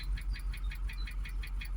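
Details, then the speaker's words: Jaguar XKR supercharged V8 after new coil packs and spark plugs, throttle body cleaner burning off: at idle fast even tapping five to six times a second over low rumble; knock persists though bonnet vibration reduced; supercharger whirring, needs service. "Now the knocking's still there. The bonnet's not vibrating like mental, like it was before. But we still do have that ticking."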